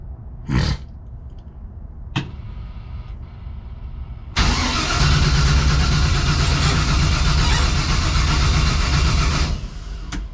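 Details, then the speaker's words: New MSD 6AL ignition box failed: short starter bursts then long steady crank about four turns a second, no firing; box drew power but gave no spark output. "Alright, so you see the MSD box is out. Was not working."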